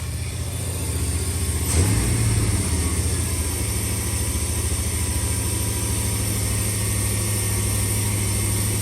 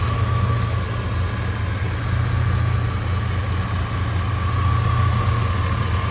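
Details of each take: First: 1989 Suburban whose idle was set at 2200 rpm to compensate for an unplugged IAC valve and vacuum leaks: strong, steady fast idle with a firm low drone, running too high while being dialed back down. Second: 1989 Suburban with a 3-inch exhaust, idling after a replacement alternator now charging at 14.4 V and the gauge/idle fuse fixed: deep, steady, quiet rumble with an even beat, no grinding, healthy idle.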